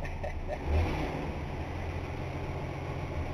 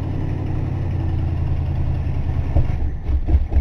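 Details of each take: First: 1960 Dodge Dart, freshly started with leaking brakes: deep, steady V8 idle with an even low rumble and no knocks or misses, still a little smoky. The engine runs fine. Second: Old car, long unused, cold, not primed, started by pumping gas: engine runs unevenly, surging with throttle blips and sagging almost to stall between; cold engine won't hold idle on its own.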